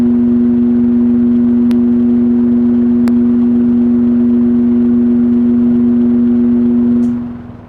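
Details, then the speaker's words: 1969–70 Sears Kenmore box fan built by Vernco, with a 3.7 A, 1/12 HP motor: a steady low electrical hum that dies away smoothly at switch-off. The source of this unusual fading resonance is unknown. "did you hear the sound Fade Away there in the end if anybody knows what that is drop a comment down below and let me know because I have never heard an electrical resonance fade out like that"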